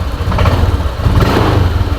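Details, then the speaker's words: Honda Vario scooter before repair, throttle opened. An uneven, lumpy engine note wavers and sags instead of picking up cleanly, as if about to stall; owner suspects the fuel system (air filter to throttle body), not confirmed. "putaran mesin itu seperti akan mati begitu ya"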